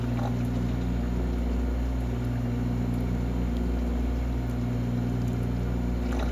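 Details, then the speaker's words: Valve grinding machine back-cutting valves with coolant flowing; steady motor hum with uneven rough grinding undertone, the stone is glazed and needs dressing. "you can tell the stone needs dressed hear it"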